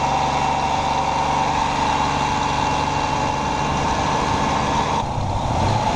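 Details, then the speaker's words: 2006 Ford Explorer 4.0L SOHC V6, warm, idling with light throttle: loud, fast, continuous metallic clatter, the notorious death rattle from slack timing chains, recurring in a replacement engine; shut down to avoid jumping time. "All right, so as you can hear, she's hurting. That's what Ford 4.0 Death Rattle sounds like."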